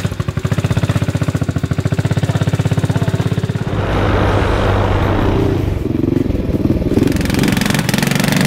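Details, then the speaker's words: Kids' 125cc automatic mini ATV after new carburetor and cut exhaust header, riding off-road in mud: rapid uneven chuffing beat, labours and loses pace as load rises, "absolutely struggling"; engine bogging under load. "uh that is absolutely struggling isn't it that's really weird"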